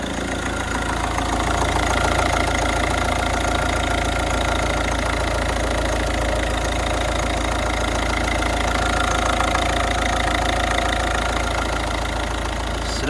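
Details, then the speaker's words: Ford Focus diesel after cam cover refit, oil confirmed reaching the turbo: even diesel clatter at steady idle with no misses, knocks or hissing; no leaks, no dash or oil pressure lights, running really nice. "good no leaks running really nice really nice for a diesel"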